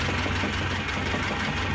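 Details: Cold petrol engine after sitting a day and a half, idling with choke off: loud, steady knock in time with idle; heavy camshaft and bearing wear, oil pressure light flickers when fully hot.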